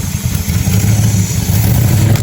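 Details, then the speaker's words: 1963 Chrysler 300J 413 RB V8, cross ram twin carbs, idle screws set 1.5 turns out, still cold and warming up: deep heavy rumble that bogs and blubbers as throttle opens, going very rich with no accelerator pumps; rich stumble. "Yeah, no pumps. Wow, it's going so rich when it gets into those carbs."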